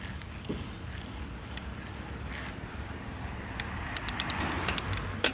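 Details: Yeti SB100 mountain bike, after bottom bracket and headset replaced: quiet riding with sharp dry snaps and clicks, irregular with pedalling, from the frame; snapping noise persists, source undetermined.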